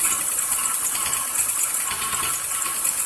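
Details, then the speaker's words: Buick Rendezvous idling: fast, light, distinct tapping lifter noise over a steady idle hum and the whine of a damaged power steering pump, which is quieting down; heard better with the camera moved to the right. "But if I isolate it to over here, you can hear the tap, tap, tap, tap, tap, the lifter noise. The power steering pump is quieting down a little bit so you can hear a little bit better. It's a pretty distinct tapping noise."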